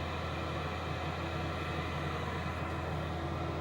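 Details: Diesel heater in a garage at full power. The outlet is what is heard; the inlet is nearly silent. A steady low roar with an even hum and no surging or popping: burning smoothly at full output.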